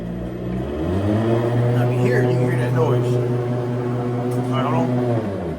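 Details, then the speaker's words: EZGO golf cart: pressing the gas makes the motor whir up with a steady hum and rising tone, but the cart doesn't move. The rear end, an axle or a stripped brake drum is suspected but not yet confirmed; noise but no drive. "Hey, man, have you ever went out there to your golf cart and you hit the gas and you hear a noise but the cart ain't moving?"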